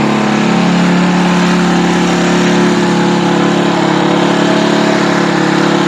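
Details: Earthquake/Predator Versa tiller, single-cylinder, started on full choke and full throttle after sitting unused, with the air cleaner off and some internal parts repaired. A steady, even beat and constant drone with no stumbling or hunting. Runs normally.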